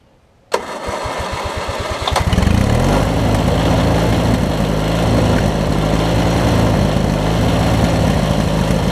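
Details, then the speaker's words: Craftsman lawn mower, Briggs opposed-twin with 4-screw Nikki carburetor, after low-side jet cleaning during no-start-when-hot repairs: fires after brief crank, fairly even run with mild rise and fall in speed; surging attributed to incorrect spark plug gap. "I'm not having any issues at all with it surging as you can hear that most of the surging is coming from actually the way that I got the plugs gap"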